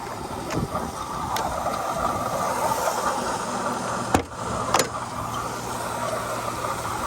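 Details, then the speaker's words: 2005 Mercedes CL600 V12 running steadily and evenly on all 12 cylinders after a faulty voltage transformer was replaced, with no stumble, just a couple of brief clanks; a disconnected hose still needs replacing. "so yes guys the cl600 is up and running not only did I get it started I also was able to get it to run on all 12 cylinders"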